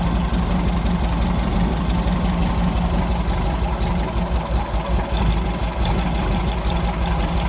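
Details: 1964 Volkswagen Beetle air-cooled four-cylinder at idle during backfire diagnosis: uneven, lumpy idle with an irregular low beat; pulling plug leads 2 and 4 changed the note much more than 1 and 3; rough idle, cause unconfirmed.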